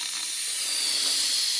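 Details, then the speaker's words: Ram pump delivery pipe feeding a new tank line: sharp steady hiss of trapped air venting before water arrives, air audible cycling at the pump. Trapped air bleeding from delivery pipe. "Oh, we have to let all the air out of this pipe. There's a good bit of it in there. You can hear it cycle at the pump."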